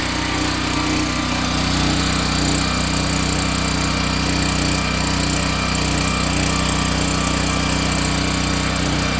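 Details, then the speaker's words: Free curbside-found generator revived for a skoolie bus, freshly refilled with oil, on its first test run powering a load through a heavy 20 gauge extension cord: small engine holds a steady, even buzz with no surging or hunting; healthy governed run. "As you can see, nice even flow of power. So I think this thing's going to work great for powering the bus on our long excursions out."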